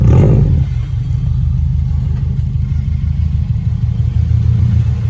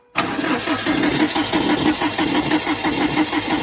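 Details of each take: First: Subaru STI EJ flat-four idles smoothly with a steady low rumble and no ticks or knocks after the timing belt was checked for bearing noise; oil pressure and boost gauges are not working. Normal idle. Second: Subaru cranked with fuel pump relay unplugged to build oil pressure after timing belt work: steady cranking with rhythmic chuffing and faint scraping rub each turn; something suspected inside the timing cover, possibly bad bearing, not confirmed.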